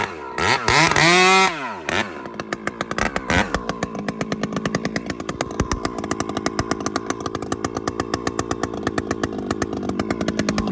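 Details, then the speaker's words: Chainsaw fitted with a Ripsaw aftermarket muffler (UFO vs serpent pipe test), high jet cracked back a quarter turn richer, at wide-open throttle after start-up: a steady, slightly burbly four-stroking scream that sounds rich and healthy; normal, tune right. "And crack it, just hold it wide open, because that should bark now a bit with that."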